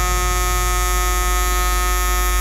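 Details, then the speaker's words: Vector London 2400 AC/DC TIG welder on 2 mm aluminium: a steady, harsh electric buzz at one fixed pitch that holds evenly until it cuts off. A normal AC TIG arc. "serta bisa mulai suaranya agak sedikit aneh Jangan kaget ya"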